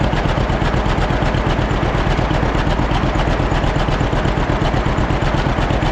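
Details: Old John Deere B two-cylinder tractor just started after carburetor float check: slow chuffing idle about three beats a second, slightly uneven pulses; idles a bit rough, owner wants it evened out.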